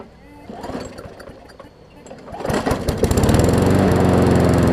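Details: Newer Murray push mower just after new carb diaphragms: catches after rough pops, settles to steady, lazy low-speed drone; runs fine but slow, throttle/governor spring (a bit too long) not yet set.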